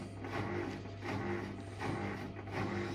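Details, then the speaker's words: Hotpoint Aqualtis washing machine drum turns with a low hum and a rough rumble that swells each revolution; the drum bearing is shot, and because it is a sealed drum unit the bearing can't be changed, so a new drum is needed. "anyway the bearing shot on it and here's the new drum"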